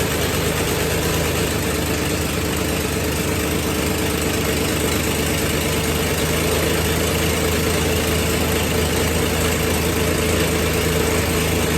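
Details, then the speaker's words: Old car revived after sitting 5 years unstarted, on 5-year-old gas: idles with loud raspy puffing and ticking in time with firing, otherwise runs good; terrible exhaust leak to be fixed. "sounds like we might have a terrible exhaust Le but it started well aside from a terrible exhaust leak which I will fix it actually runs good"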